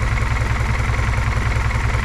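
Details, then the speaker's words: G23 engine with a notched manifold, idling low at about 600 rpm: a lumpy idle pulsing about eight or nine times a second; owner suspects rod knock and wants the idle raised; an oil leak was seen at a block plug above the oil filter. "not but it it do sound kind of rough to be honest kind of Rod kniky I need to bump the idle up"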